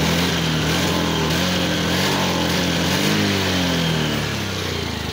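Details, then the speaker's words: Honda Beat FI scooter before repair, no check-engine light; scanner shows a faulty throttle position sensor; uneven, stumbling beat with irregular firing drops: misfire from faulty TPS sensor. "na monitor doon sa kanyang scanner na ang may depekto ay yung tps sensor itong tps sensor kasi areglado naman ito at yung mga ibang fault code inr niya na kaya ngayon palyado siya"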